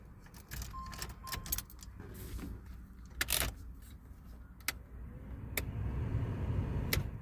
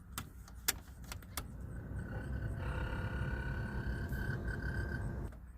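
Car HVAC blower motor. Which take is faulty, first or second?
second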